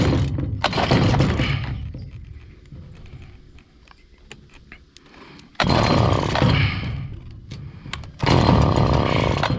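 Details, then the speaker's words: Stihl FS70R weed trimmer that fires up, has spark and fuel, but bogs down when given throttle: revs briefly then sags to a rough low idle with no power. Air supply suspected, with the spark arrestor checked first. "off let's see try to give it gas no power but since it's firing up and bogging down we know it has spark and we know it has fuel"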